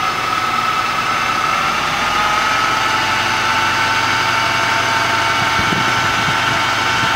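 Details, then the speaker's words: Subaru Brumby with Weber carburettor conversion, vacuum applied by mouth to vacuum advance hose: idle lifts slightly, holds and runs cleaner; vacuum advance working and holding vacuum. "There we are, the vacuum advance works and it's holding. We can hear that the idle lifts and it's running cleaner."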